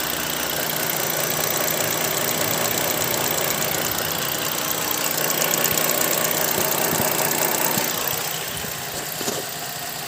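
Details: Holden VZ Commodore V6, 137,000 km, drives well: light quick ticking about three per second over a smooth idle; others suggested evap solenoid, owner wonders if lifters, cause unconfirmed.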